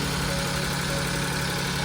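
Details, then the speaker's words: Tata Nano with a misfire after plugs and ignition coils were changed, now running after a replacement engine control module was installed and paired: steady, even idle hum with no misses or vibration. "देख सकते हैं RPM भी और engine भी दिखाता हूं तुम्हें engine भी कोई कंपन नहीं कर रहा है"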